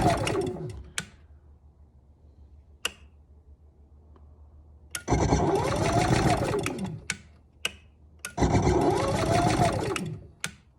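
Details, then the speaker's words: Camper generator with auto choke and electric start; two cranking bursts of a couple of seconds with quiet pauses, fails to catch; starter won't stay on long, runs well once caught. "if the starter would stay on longer probably pretty good once she catches though she goes pretty good"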